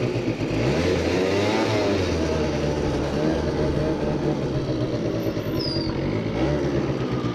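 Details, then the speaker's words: Research scooter with machined front variator pulley, 3.4 g rollers and carburettor needle raised one notch; revs climb quickly off the line but stutter and break up as it pulls; misfire under acceleration. "Siinä on vaan tuo pätkintä, niin se kiihdytys menee nyt sen takia pilalle."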